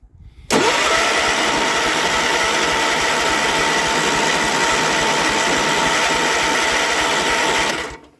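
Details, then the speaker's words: Cold machine with new Amazon fuel pump, no starting fluid; starter whirs steadily about seven seconds with slight popping, never catches; cranks, no start, owner suspects fuel pump lost prime or pump fault. "i hear a bit of a popping nah it's not gonna go okay this one is a fail like i thought it was going to be"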